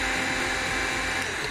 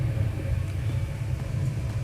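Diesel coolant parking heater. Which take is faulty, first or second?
first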